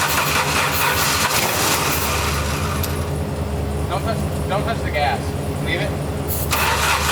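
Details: 1989 Jeep Wrangler YJ 4x4, manual, revived after 12–13 years sitting: starts and stumbles with an irregular, lopsided beat, only half the cylinders pulling; seemed to run on two cylinders, two spark plugs later found cracked through; fuel filter also suspected.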